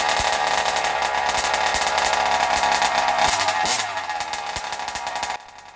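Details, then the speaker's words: Zenoah G320 two-stroke in Losi 5IVE T during break-in: fast raspy buzz, then the note drops and softens as the mixture is deliberately richened for more oil; normal rich break-in running. "so as you can hear, it's actually getting a little bit softer. That's on purpose here. I'm trying to fatten it up a little bit to get a little more oil in there as I do the break-in here."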